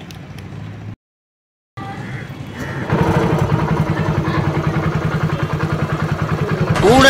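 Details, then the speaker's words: TVS XL100 after full engine overhaul (new barrel kit, head, valves, oil seals, clutch shoe and bell, timing chain and tensioner), previously noisy at six months old: even, steady single-cylinder beat at a smooth fast idle, no knocks or rattles; healthy. "இது எல்லாத்தையும் மாத்தினதுக்கு அப்புறம் பருத்தி வீரன் கார்த்திக் மாதிரி இருந்த நம்ம வண்டியோட sound பையா பட கார்த்திக் மாதிரி செம ஸ்மார்ட் ஆயிடுச்சு."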